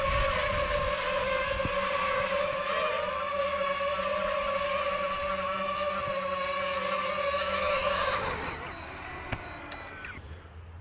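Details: DJI FPV drone flying on third-party Amazon propellers: steady high motor whine with a rough, wavering buzz that fades as throttle drops. Strange vibration from poor-quality props.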